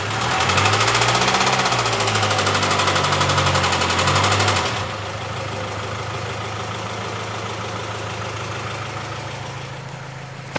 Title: Developed knocking noise while accelerating